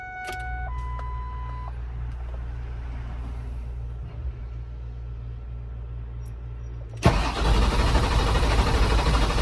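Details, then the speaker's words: Ford F550 with 7.3L Powerstroke after new injectors and glow plugs, batteries on charger: quiet, then starter spins the engine fast and steady with no catch or firing; cranks but won't start. "damn it guys I tried over and over again and it didn't start"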